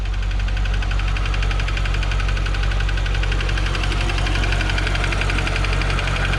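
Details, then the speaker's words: 2015 C7 Corvette Z51, six-speed manual, Edelbrock supercharged, 80,000 miles, idling: sharp quick ticking in step with engine speed over deep V8 rumble; owner suspects AFM lifter failure on cylinder 7, driver side, though it sounds like it's from the front. "yeah actually it sounds like it's uh coming from up front not in the back"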